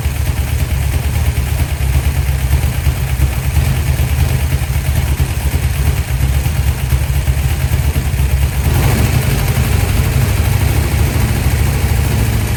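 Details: 1972 Dodge D100 V8, first start after solid roller camshaft and Speedmaster 265cc heads. Deep rumble, loping uneven beat, irregular stumbles at idle: rough running, cause not pinned down.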